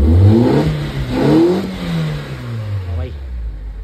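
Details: ECCS Nissan Sentra that had a no-start, just-crank problem, now starting and running; engine revs up cleanly and drops back smoothly with no stutter, rev cut gone, revving freely.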